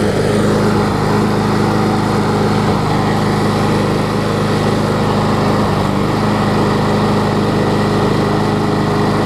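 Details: John Deere JS35 mower after flywheel key and replacement carburetor, converted from auto choke to primer bulb: small single-cylinder engine runs steady and even with a smooth buzz, no misses or surging; normal running.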